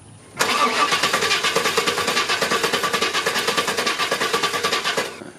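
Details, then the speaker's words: Chevy 350 Vortec Suburban, sat for years, fuel system replaced, new coil and crank sensor fitted: steady cranking about three pulses a second for nearly five seconds, no catch; crank no-start, weak spark. "all right so I don't know if it was caught on the camera or not but I was able to go ahead and get the motor started up what it is it just has a a weak spark"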